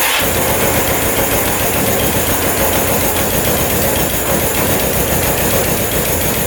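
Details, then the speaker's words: 1989 Suzuki Quadzilla quad with a KZ 750 engine swap, new battery, choked, first start: ragged, stumbling run with an irregular loping beat; misfire because a coil wire pulled out and was sparking on the engine; sounds much better once fixed. "one of the coil wires pulled out and it was sparking on the engine got to fix that"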